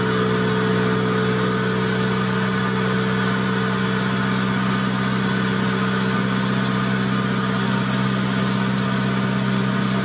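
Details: 1990 Honda Civic B20B, warmed up after fitting Crower cams and Skunk2 cam gears: low, uneven, choppy idle with a steady metallic rub riding on the engine note; cam gear bolts scraping the valve cover, which also leaks oil.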